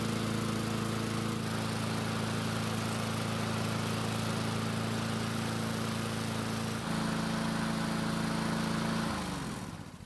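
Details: Husqvarna mower that would not start, after blade replacement: steady, even engine note at constant speed, then winding down smoothly to a stop; runs cleanly.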